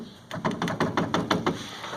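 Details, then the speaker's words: New Ford Ka engine bay: about ten quick hollow plastic knocks, roughly seven a second, from the coolant reservoir rattling completely loose in its mount as the engine vibrates. "Barulho número 3. Reservatório do líquido de arrefecimento."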